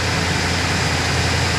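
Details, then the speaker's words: 2005 Chevrolet Silverado 1500 5.3L V8 after water pump work and topping off the power steering fluid: steady, even idle with no knocks, ticks or belt squeal; alternator charging, slight thermostat housing drip remaining. "All right, we just topped off the power steering and that noise went away."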